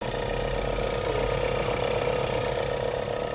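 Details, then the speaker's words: 2022 Volkswagen Polo liftback 1.4 at idle: fast ratcheting rattle about four clicks a second from alternator side, disappears when revved; alternator at fault. "стороны генератора. Даёшь газ, звук пропадает. Проблема в генераторе."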